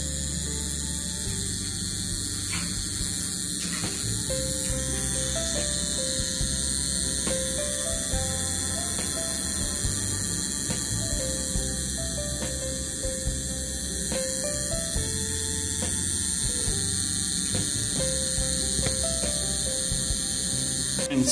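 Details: 12 V LED switching power supply (driver): steady electrical hum with a thin high whine while the LED flickers slightly, caused by a burst output capacitor.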